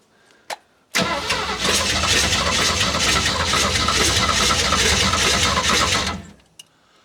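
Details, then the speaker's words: Classic Ford Mustang with a swapped engine, sat for years, new oil, brake cleaner sprayed into the intake: catches and runs ragged for about five seconds then dies; owner thinks the choke is working too well. "Oh, yeah. The choke doesn't, I think, is working, but too well."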